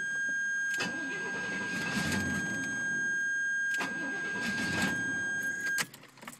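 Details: 1977 Chevrolet Corvette: two spells of steady cranking, about three seconds each, that never catch; fuel filter changed and fuel pump tested, turns over on ether, and owner suspects fuel delivery and plans to gravity-feed the carburetor or drain the tank.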